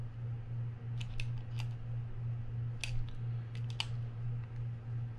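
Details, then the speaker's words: Daiwa BG 4000 spinning reel just reassembled after a service, with the rotor refitted and turned slowly by hand. Scattered scratchy clicks over a faint low hum show raspiness from the anti-reverse clutch, though it still works. Anti-reverse clutch rasp. "yeah that feels good let's see yeah we can definitely hear the raspiness from that uh from that uh anti- reverse clutch but for now it works"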